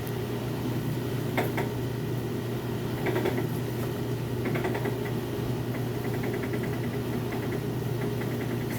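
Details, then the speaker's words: Maytag washer in excellent condition, oversize capacity: on spin cycle reaching full speed, steady low hum with constant tone and light rattles, no grinding or banging; spin and drain work normally. "if we switch it over here to spin cycle I'm gonna let her get up to full speed spend in the water out now so you know the drain works"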